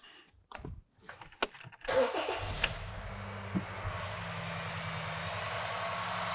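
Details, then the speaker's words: 2013 Honda Fit 1.5L with codes P0303/P0203: engine cranks, catches and settles into a rough, uneven idle; scan tool shows a dead misfire on cylinder 3 only. "so we can already see that it looks like cylinder three is a dead misfire but it doesn't look like four is misfiring"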